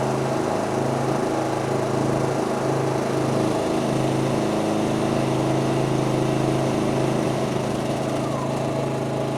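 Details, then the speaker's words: MXR3500 petrol inverter suitcase generator under increasing load: steady drone whose pitch climbs gradually with power draw rather than jumping to full revs; smooth governing, healthy running. "did you hear it ramping up the uh Power as the gear went to pool power it didn't just jump straight up to maximum revs actually followed the all the curve of the Empower draw"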